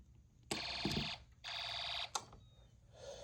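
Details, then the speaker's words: Snap Circuits hobby fire alarm, call point pushed (presses a button behind it): two harsh half-second buzzing alarm bursts separated by clicks; alarm sounding normally. "So, if you push that middle part right there, it's like a call point. Push the button behind it."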